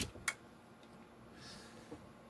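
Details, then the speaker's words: Inverter air-conditioner outdoor unit main PCB after IPM and PFC chip replacement, plugged into 220 V: one crisp click right after power-on, then quiet, the board's relay pulling in normally. "릴레이 딸꼭 하는 소리가 들렸고요."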